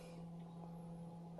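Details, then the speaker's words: 2019+ Mazda 3 rear electric parking brake retracting/re-engaging via brake service mode (foot on gas, switch clicked 3 times fast): low steady electric hum, even pitch for over a second, from rear brake motor driving calipers; normal operation. "Then click this 3 times really fast. And you can hear it retracting in the back."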